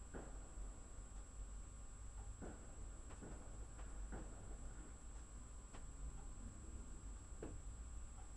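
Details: Saturday 5 November 2016, 18:40, loud fridge nearby: sharp, irregular knocks about every second over a quiet room hum, multi-bouncing, like wall piping banging; pipe knocking.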